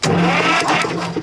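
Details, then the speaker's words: Cranking test on the engine of a 1955 M51 Mack 5-ton gasoline military 6x6 truck, Bendix held down by hand: the starter whirs at a steady pitch and spins the engine over freely without binding, then drops away cleanly. Normal cranking, next step a compression test. "yes indeed the engine turns over okay now do a compression test"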